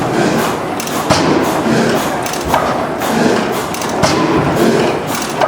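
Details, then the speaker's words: 1912 Otto 175 hp gas engine, formerly a water works plant engine, air-started; slow heavy exhaust chuffs about every second and a half, quiet and steady; running normally. "Oh yeah, it's chooching, it's chugging."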